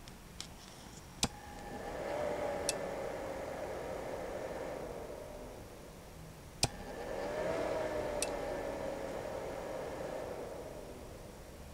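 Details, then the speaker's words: Icom IC-7300 radio's stock cooling fan loudly spools up with a rising whine and winds down when keying up to transmit; it was replaced with a quieter Noctua NF-A8 PWM 80 mm fan. "How many of you have the Icon IC7300 and when you key up and calling CQ or having a Ragu, you always seem to hear the fan behind the radio spool up just like this."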